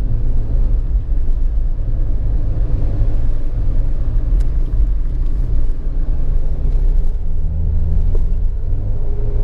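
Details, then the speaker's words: New Jeep Wrangler driven over bumps with windows closed after greasing the rear spare tire carrier, which squeaked on every bump; steady low road rumble with no squeak or creak from the rear gate; owner thinks it's fixed. "I really don't hear anything I don't want to get too excited yet I think I actually did fix it"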